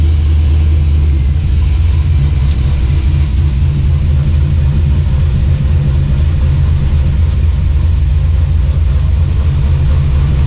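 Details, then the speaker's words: 1986 Chevy C10 with a swapped-in used TR6060 6-speed from a 6th-gen Camaro, in second gear with wheels spinning: deep steady low rumble and drone, no knock. Definitely more shaky, felt right underneath; driveline vibration, cause not pinned down. "so that's second gear and i don't know if you can see that but it is definitely more shaky it feels very driveline"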